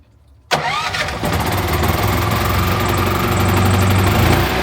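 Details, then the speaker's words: RVMP 5500 onboard generator on a Brinkley 3950 RV, first start after switching from LPG to onboard gasoline: quick crank, then it catches into a steady, even drone. Normal start and idle on gas. "Woohoo! Oo, she's running on gas now, baby. We're cooking with gas now."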